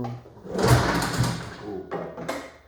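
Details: 1981 Yamaha SRV 540 snowmobile, barn find, after carb cleaning and new plugs: several rough recoil pulls, each a brief churning burst that dies without catching; won't start, later found debris holding the reed valves open.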